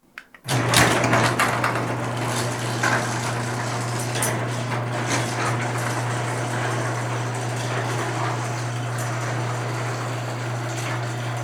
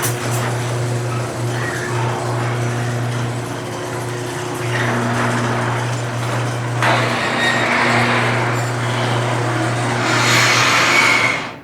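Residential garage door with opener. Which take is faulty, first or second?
second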